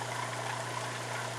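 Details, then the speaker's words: Replacement Surflo 4008 Revolution 3.0 diaphragm water pump in a camper, running dry with no water in it, which it tolerates: a smooth, constant low hum with a light even buzz and no rattle, about 66 dB on a phone app. Pump sounds normal. "now let me actually close this and the reason why it's still staying on is because I don't have any water in it but it can actually run dry not a problem"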